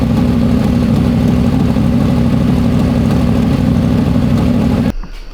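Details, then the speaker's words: Freshly built 421 small-block Chevy for an S-10, first start, not yet broken in: crisp, even V8 idle with no ticking or knocking, then a clean shut-off. Healthy, crisper than the previous motor. "It does sound good. It hasn't broke in yet. Dude, it sounds good. Yeah. It's way more crisp than the other motor was."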